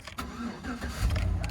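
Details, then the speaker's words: 2007 Chevy Suburban 1500 4x4, 5.3L LS V8 E85 flex-fuel with cylinder deactivation, 171,000 miles: brief crank, then it catches quickly and runs smooth and even with no stumbling or knocking, a healthy normal start. "you know all these gm's you know there's something about an ls you know it fires up it's smooth with the door closed you can't feel the car running"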